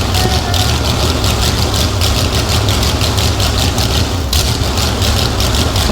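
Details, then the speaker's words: Big-block Chevy engine in a jet boat, first start using starting fluid and an old jump box: deep, loud, lumpy V8 burble at a steady idle with crisp exhaust pulses. Running properly. "But it runs. That was badass."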